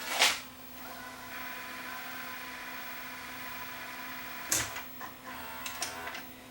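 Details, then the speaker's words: Sony SLV585 VCR after mechanism repair, playing back an SP-speed recording before switching to EP: clicks, then steady quiet transport whir, no squeal or grinding. Normal playback. "there's our playback perfect it's SP speed in second we'll see it switch down to the EP"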